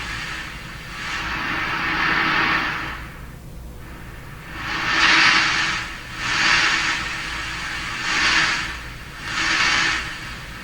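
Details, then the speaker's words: Hammarlund HQ-100A communications receiver, first checkout before restoration: receiver hiss swells and fades in uneven surges as the selectivity control (a potentiometer with an off switch) is turned; volume drops out, cause unknown. "so it' be very interesting to find out how they've done this I notice it knocks the volume out when"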